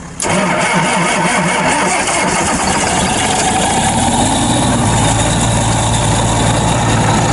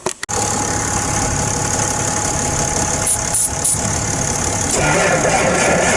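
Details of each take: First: Machine after warming a couple of hours, still below freezing: brief crank, it fires right up with smoke, no jumper cables or ether, then a steady, even diesel idle with no misfire; normal cold start. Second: John Deere machine at 8 degrees in snow and ice, freezing cold diesel: short crank, then it catches and settles into a rough, clattering run after heavy ether use; hard cold start.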